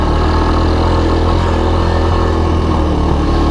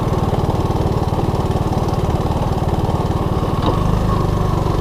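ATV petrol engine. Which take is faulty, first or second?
second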